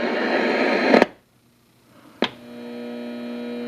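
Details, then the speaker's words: Signal tracer used on a Realtone 2208 W radio repair: loud hiss cuts out abruptly, then after a click a steady mains hum with buzzy overtones returns; newly started tracer hum, cause unknown. "now that the noise you're hearing now is something that just started happening with my signal Tracer I have no idea why it's doing"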